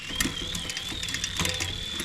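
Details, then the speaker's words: Shimano 11-speed rear derailleur during indexing after derailleur, hanger and shifter cable replacement: spinning chain whirs with scattered rough clicks and grinding climbing onto larger cogs; grinding on upshift, adjustment not yet right. "Not a completely smooth, but definitely smoother shift. Right? So when you hear that grinding, to me, that tells me that we are not there yet."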